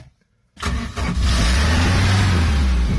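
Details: Boat engine started with no choke, in neutral, throttle set to about 2,000 rpm while running on a water hose: silence, a quick crank, then it catches at once and settles into a steady fast idle; normal start.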